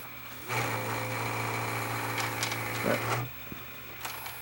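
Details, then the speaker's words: Panasonic PV-S7670 S-VHS VCR that won't rewind and shuts off: rough whirring grind over a low hum for about three seconds as the transport turns, then stops; suspected dry capstan motor bearing. "that noise that it's making that sounds like the Capstone motor actually that grinding noise sounds like the Capstone motor bearing is a dry"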